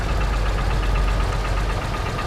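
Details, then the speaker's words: 1936 Ford Model 68 V8 Fordor sedan idling: low steady idle with a faint fast ticking chatter. Slight valve-train noise and a small exhaust leak are noted; source unclear. "go ahead and do the wiper you can just hear that just a little bit of a little bit of a chatter"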